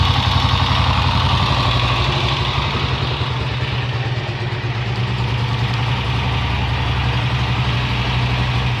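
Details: Honda XLR single-cylinder at idle with an uneven pulsing rattle, roughly three beats a second, over the exhaust thump; odd internal engine noise of unknown cause.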